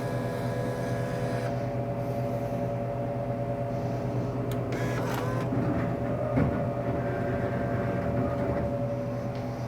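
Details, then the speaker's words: Royal GIII soda machine, jammed Cherry Coke column: cabinet hum with brief whir and clatter as vend motor pulls the column twice, nothing drops, shows sold out; fixed by replacing pivot lever spring. "You hear it trying to vend. Usually pulls on it twice, the column twice, and it is saying it's sold out, but I know it's not sold out."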